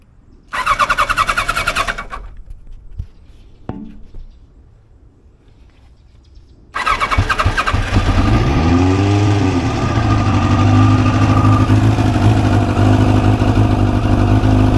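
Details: 1989 Kawasaki Ninja ZX-10 that sat about 12 years, with a replacement fuel tank: short cranking bursts and a long pause, then it fires and climbs to an uneven rev before settling; slow start after storage.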